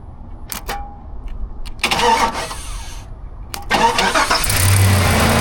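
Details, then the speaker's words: 2005 Chevrolet Silverado 2500 HD 4WD, 6.0L V8, towed in with no crank: with the key on, the starter solenoid is powered directly by a jumper wire. A few clicks, then a short crank catches quickly into a steady idle, a clean start. "And it does."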